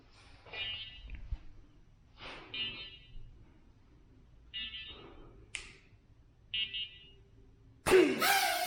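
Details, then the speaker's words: ShiFT Red drone indoors, no motors running: short bright beeps about once every second or two; owner suspects low battery warning or only one propeller spinning, cause unclear. "Low battery. That's it. So I think that beeping sound is telling you it's low battery. Or one propeller spinning."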